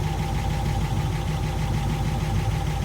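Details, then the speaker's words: 23-foot Lyman boat with a Graymarine 138 AMC V8 whose worn oil pump had lost prime. After priming with a quart of SAE 30 from a pressurized tank, oil pressure came right up. Steady, even, low idle with no knock or tick; the engine is healthy. "Plenty of pressure. Raise throttle. Old grill still sounds good yet."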